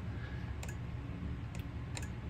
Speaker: and tape switching is done with the relay. I hear it clicking away in there.